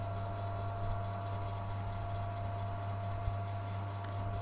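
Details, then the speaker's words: PS3 that made loud vibrating noise and slow loading, after replacing the fan with a salvaged one: steady even fan hum, constant tone, no rattle, scrape or wobble; normal cooling fan. "tidak ada suara Getaran seperti tadi kita coba dekatin pes-nya yaitu suara kipas normal ya seperti itu"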